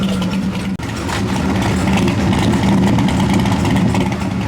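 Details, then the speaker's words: 1976 Corvette C3 with THD 350 transmission, yearly start-up, warmed up: steady, even idle with a smooth low exhaust burble and no misses, knocks or ticks; healthy idle, clean exhaust. "Out there, temperature's coming up pretty good. That car's idling good."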